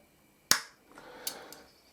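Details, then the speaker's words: Soft-start circuit for a toroidal transformer on a dim bulb tester, relay wired to its normally open pin: one crisp click, then faint ticks as the relay pulls in roughly 100 ms after switch-on, with a slight turn-off delay; soft-start working normally. "and there's a little bit of a delay turning off but that's all right so I'll count the frames that it took from when that switch turned on to when the relay clicked in"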